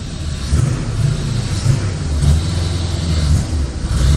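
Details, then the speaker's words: 1985 Chevrolet Corvette C4, sat about 2–2.5 years, running with the air intake off: a low lumpy rumble that bogs instead of picking up with throttle. The owner suspects the intake must be on, not confirmed. "she's not happy i'm thinking that intake maybe has to be on"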